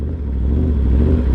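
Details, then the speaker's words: Yamaha R1 with aftermarket clutch lever lacking the bumper for the clutch sensor: deep uneven loping idle in gear with clutch pulled, fine in neutral; bike misreads clutch engagement. "It's something with the clutch, I think, because look, when I engage it to when I disengage it, it idles like this, and if I put it in neutral, it'll idle fine. And so when I pull the clutch in, it just starts loping."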